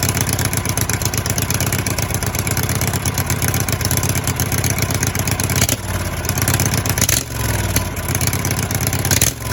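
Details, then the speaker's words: Husqvarna walk-behind before repair, heard on a phone mic: harsh, loud, raw crackling single-cylinder bark with no muffling. "also just kind of Qui things down because uh that bad boy is nasty loud I'll fire it up for a second for you so you can hear it probably distort the mic on the phone but we'll see"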